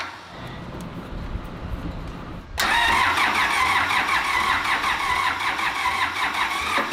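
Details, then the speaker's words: Old diesel engine not run for a while, fresh fuel in tank: starter churns it steadily but it never catches; suspected no fuel reaching the injection pump and injectors, possibly air in the lines or a fuel shut-off problem. "First thing you do when you're starting an old diesel engine that hasn't been started for a while is make sure that it's getting fuel."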